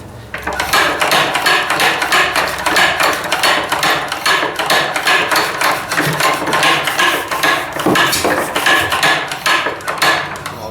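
Sharp metallic clacks repeat at about four a second, the steady beat of an old single-cylinder engine running on its own.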